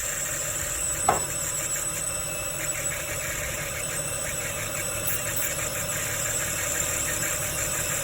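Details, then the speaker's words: Ford Falcon idling right after a DIY harmonic balancer replacement: thin, high chirping squeak from the belt drive over a steady idle. Owner suspects oil-cleaning spray residue; a wobbling pulley was then noticed. "Bit of a squeaky noise. I think that's because I've sprayed some spray on the down on the bottom to clean the oil up a little bit, so it might have just been residue."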